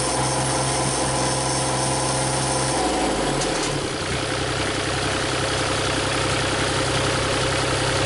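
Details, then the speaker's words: Used Cummins diesel swapped into a Komatsu PC40 excavator, thermostat fitted, running about 180° without overheating, injectors still weeping: starter whirs a few seconds, then it catches into a steady, even idle, no knocks or misses. "We have water in it. It's not overheating. Thermostat's in it. Seems to be running about 180 all the time."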